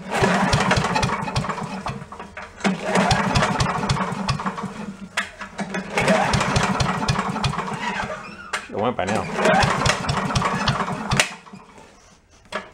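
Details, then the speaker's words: Yard-sale commercial walk-behind leaf blower with carburetor problems, not running: small two-stroke catches on sprayed fuel, buzzes a few seconds and dies, three times; suspect fuel delivery; runs only on sprayed fuel. "I want to run it a little bit get all the crap floating around then we'll change it let's wanna spray a little bit of fuel down it"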